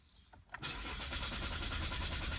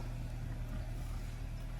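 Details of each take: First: 2022 Chevy Malibu 1.5T, about 65,000 miles, stopped starting the day before; starter spins the engine at a fast, even rhythm for several seconds but it never fires or picks up speed: crank, no start. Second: 2022 Chevy Malibu 1.5T with about 65,000 miles, which had a no-start, starting after a new part was installed and connected to the harness. It settles into a quiet, steady low idle hum with no stumbling or surging. Normal idle after repair.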